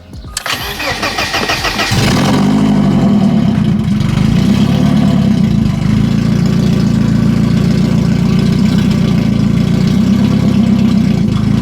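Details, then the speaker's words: BMW E30 petrol engine, non-running for years, cranks, catches and settles into a loud, slightly uneven surging idle from unmetered air through a massive leak in the split intake boot, refitted before repair; exhaust not yet done. "So we are going to put this back on and still start the car up, but it will be kind of idling funny because there is a vacuum leak. So like I mentioned, the engine is getting unmetered air, so there will be surging, but you guys can hear the difference."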